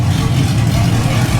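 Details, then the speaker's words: LS-swapped Jeep Grand Wagoneer, cold, 40 psi oil pressure, about 13 volts: deep V8 rumble sags and turns lopey when revved, near stalling; owner thinks tuning is needed, cause not confirmed. "So when you rev it, it sounds like it wants to die. [music] I think there's some tuning that needs to be done to this for sure."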